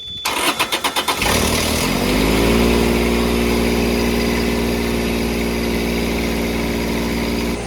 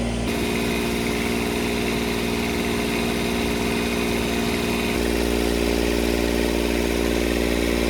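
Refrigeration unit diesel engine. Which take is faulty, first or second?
second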